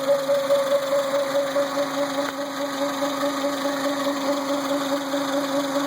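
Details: Renault Symbol at idle: constant mid-pitched hum that never changes over a quiet idle; the power steering pump is whining.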